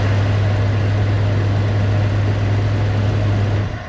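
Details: 1998 Jeep Grand Cherokee Laredo 4.0L automatic after fuel pressure regulator replacement to fix starting issues, holding pressure with no leaks: deep, steady idle, smooth low drone with no stumbling or misses; running healthy.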